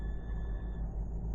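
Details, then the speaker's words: 2008 GMC Yukon, fuel pump commanded on with a scan tool: faint steady high whine over a low rumble for about a second as the pump briefly primes; normal fuel pump priming. "okay it just did it sub like a 2C um prime it didn't just stay on but it did work"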